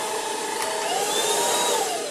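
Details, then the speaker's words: Ultenic U10 cordless vacuum, finger removed from the inlet after triggering the infrared dust sensor: high motor whine holds, then its pitch drops smoothly as the motor slows back to normal speed and the LED returns to green. "Là, j'ai enlevé mon doigt et il ralentit et il repasse au vert."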